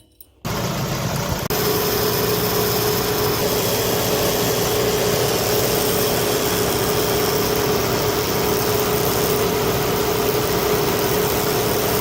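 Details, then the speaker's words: Car engine idling with a seized A/C compressor pulley bearing: a constant droning hum with rough vibration underneath. The damaged internal bearing can lock the pulley and stop it turning with the belt and accessories. "A veces este balero interno se llega a dañar demasiado que traba totalmente la polea e impide el giro en conjunto con la banda y los accesorios. Cuando está dañado, se puede observar algo así."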